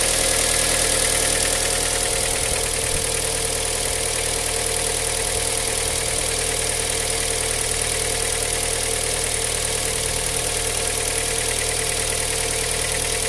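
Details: Cold-start idle with a fast, steady metallic ticking knock over the engine note; cold-start knock of unclear origin.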